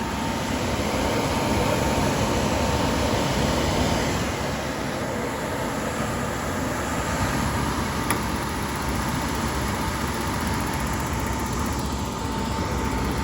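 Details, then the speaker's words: Suburban SF-30 camper furnace powered from battery, propane not connected: steady blower rush with faint hum and occasional igniter click but never lights; no gas supply, igniter to be replaced. "can hear it trying to light click but it's not lighting I don't have the propane hooked up"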